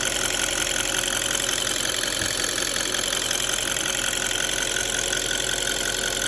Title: D8 engine ticking sound